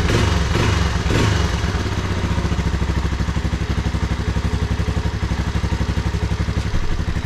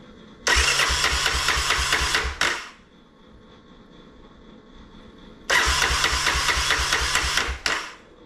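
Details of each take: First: Vintage Honda ATC 250SX three-wheeler under restoration, fuel leaking underneath: quick, steady single-cylinder putter at about four beats a second holding even after start-up; fired first pull and running good. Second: Vintage Honda ATC 250SX three-wheeler during restoration, start attempt after leak check: single-cylinder engine catches, runs roughly about two seconds, dies, fires again and stalls; won't keep running, owner wonders if everything is plugged back in.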